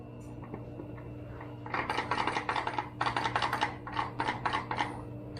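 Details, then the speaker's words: Turbo Toyota Corolla transmission, removed with axle, input shaft rocked by hand at bell housing: loose, irregular clattering knocks showing slop in the gears, then it locks in gear; teardown found broken gears with excessive gear backlash. "I don't remember what is normal, but that sounds like there's some slop in the gears."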